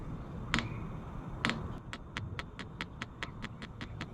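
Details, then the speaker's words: New diesel heater for a roof top tent, first start at 13 volts and 21 °C, fan on and set to maximum: two louder clicks, then a quick, even fuel-pump ticking about four to five times a second while it primes, barely drawing fuel yet. "Crank it all the way up to, I don't even hear the pump kick in yet. You hear the pump starting."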